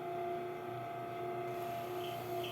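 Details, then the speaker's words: Bias-tape cutting machine with a newly fitted belt, running with a steady mid-pitched whine, higher overtone and faint squeaks from lack of lubrication; fixed by dripping oil in while running. "isso aqui galera significa El tá apresentando lubrificação e é necessário que a gente faça essa lubrificação na máquina"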